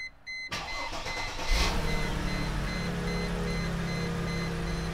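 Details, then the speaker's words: Mercedes E320 with a stalling issue, first start after a new catalytic converter is fitted: dash chimes, quick crank, clean catch and a smooth, steady idle with no exhaust leaks, a normal start and idle. "But listen. She sounds good. Okay, that's good. I don't hear any huge exhaust holes or anything."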